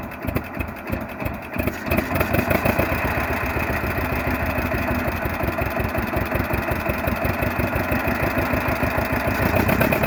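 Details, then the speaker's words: 1948 John Deere B two-cylinder converted to propane, Model E regulator, enrichment valve set rich when cold and can be leaned as it heats: slow, even putt-putt about three beats a second, steady, no misses; healthy warm idle. "when it's a little bit cold it still runs best but a little you know richer but as it heats up we can lean"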